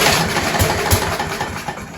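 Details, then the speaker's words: Scott Bonnar mower, Briggs & Stratton Sprint 375 4-stroke, after fitting a recycled primer bulb, throttle set mid-way (throttle faulty): catches and fires briefly, then fades and dies within two seconds; stalls. "So there you go, folks. Put that recycled primer bulb, gave it a pull and actually managed to get it run there, but then it did conk out."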